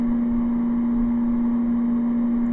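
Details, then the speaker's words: Air conditioner running on low from solar via inverter: a steady low hum over the fan, quieter than on high, while still blowing cold. Source of the hum not confirmed. "all right that's on low now you can still hear the home but it's not as bad as if when it was on high and yes it is blowing coal"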